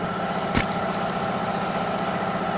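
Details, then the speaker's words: Proton Inspira, complaint of tapping from belt area, loudest mornings and in reverse: thin constant whir over steady idle from belt idler pulley; worn idler pulley bearing. "Bila kita dah buka alternator ni, kita kena buat belting stationernya kita kena longgarkan sekali ada puli dia dua-dua ni. So ada pul dia ni memang ada bunyi."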